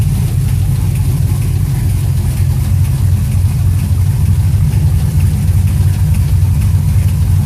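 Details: 2006 Chevrolet TrailBlazer SS engine idling loud and deep with an uneven knocking beat, roughly three per second, from somewhere in the engine; engine knock, cause unknown.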